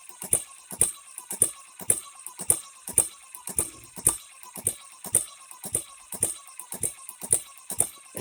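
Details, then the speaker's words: HM-01 hit and miss engine kit on its first run, new and not yet broken in, with syringe fuel feed: sharp, evenly spaced metallic clacks; timing gears mesh far too loudly and need wearing in. "does run but those gears good Lord we shouldn't hear them that bad"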